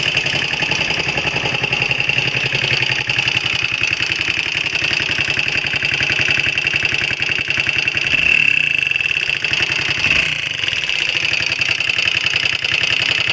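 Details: Honda XL125R single-cylinder at idle: busy, rapid ticking clatter riding steadily over the exhaust beat, something abnormal in the top end; abnormal engine noise, cause unclear.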